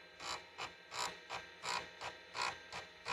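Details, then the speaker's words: Compaq Deskpro floppy drive, head exercised back and forth by cleaning program, disk out: quick buzzy stepping bursts about two a second as the head sweeps evenly; normal head seek. "with the disk out you can hear the heads there"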